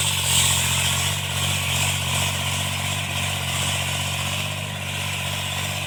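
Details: Tractor diesel cultivating after an engine-knocking repair: steady, even beat of about three pulses a second with no knocking, running normally and healthy under working load.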